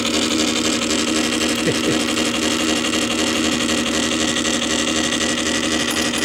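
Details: Columbia Graphophone AH spring motor after service, run without a record; fossilized powdered grease that had caused clanging springs was cleaned out; steady even whirr with a soft singing tone, no clanging: normal running.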